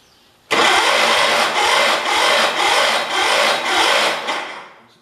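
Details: 1978 Kohler K341 engine on a 316K, just rebuilt with new rings, first start attempt: harsh rhythmic chuffing under two beats a second for about four seconds that never catches; cranks without starting, cause unclear.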